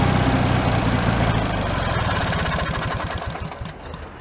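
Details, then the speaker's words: Free Craftsman hydrostatic riding mower, single-cylinder engine that reportedly did not run, running on old fuel in its tank: chugs at fast idle with slightly uneven beat; decent running, carb just needs cleaning. "carp just needs to be cleaned decent running on its own fuel whatever that is for fuel"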